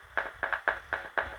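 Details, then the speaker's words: Huper 15HA400/AK15A active speaker amplifier on repair bench: sharp pops about four a second come through cleanly when the high (tweeter) input is touched, so high channel output is normal; low/bass channel silent, fault in its power driver. "speakernya bunyi teman-teman ya artinya untuk input hi-nya outputnya itu normal ya"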